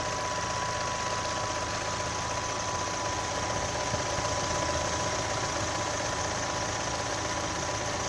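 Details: 2018 Chevrolet Onix LT 1.0, bought under 3 months ago, steady idle with faint uneven light ticking over the hum; abnormal top-end noise, owner links it to GM's quiet intake valve and lock replacement, unconfirmed.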